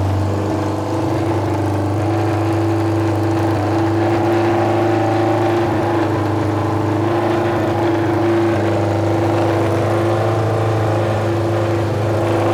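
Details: Junkyard Honda CB750F four-cylinder that sat for decades, running again: deep, even rumble at fast idle, very loud out the pipes but smooth and steady with no misses. Starter clutch still needs addressing.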